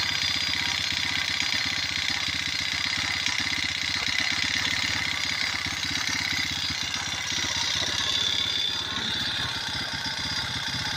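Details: Motorized bicycle gasoline engine at a fast idle: a steady buzz with a sharp, rapid tapping on every firing. Engine knocking, cause not yet known.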